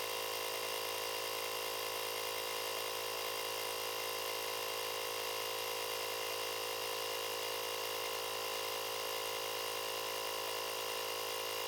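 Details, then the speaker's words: Profiline booster/jump starter's built-in compressor inflating a tyre from zero to a set 2.2 bar, using two battery divisions; steady, bright buzzing drone at even pitch without labouring or stuttering; normal compressor operation. "тут все готово натискаємо ось цю кнопку на он відповідно компресор починає качати"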